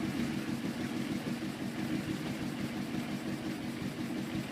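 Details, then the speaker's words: Carbureted motorcycle, cold at 72°F, carb sync vacuum hoses pulled off to create vacuum leak, choke off: ragged wandering idle with uneven beat, keeps dying; vacuum leak causes rough idle, runs fine when hoses covered. "you should be able to keep it running if you just has a vacuum leak but it'll always eventually"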